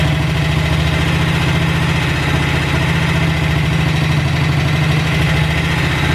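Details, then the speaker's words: Cold-start idle on a BSA 441 single with an Amal carb cleaned after water and sediment in the float bowl caused sputtering and missing. An even, steady thump with no misses or hunting; idle and mixture screw roughly dialed in, to be retuned once warm. "all right i just got it dialed in it's totally cold so i got the idle half decent and i was able to get control over the air fuel so i just slightly dialed it in close"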